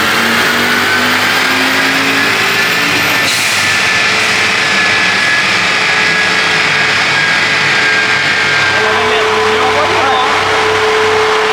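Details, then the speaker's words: Audi on a dyno, MaxxECU tune, about 300 hp: a hard pull on the rollers with a loud high turbo whistle over the engine roar at full boost; a noisy turbo, which the title calls too small. "Par contre, t'entends le turbo, il gueule."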